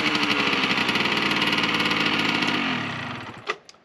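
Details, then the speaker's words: 1998 Yamaha RZ50 50cc two-stroke, first start after restoration with crankshaft and balancer seals replaced and repainted muffler refitted: raspy fast beat with sharp puffing chuff each firing pulse; heavy exhaust leak, later fixed. "排気漏れがすごいな。はい、それではねちょっと今排気漏れしてたんですけども、"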